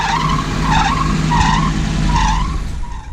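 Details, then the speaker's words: 2000 Nissan Frontier idling with a repeating high squeal around 1 kHz, about four chirps a second; belt has play and is slipping on the pulleys. "as you can hear and have a really bad squeak to it so I need to figure out what's causing that sweet mainly it's just going to be tightening up at the belts here and down here at the bottom"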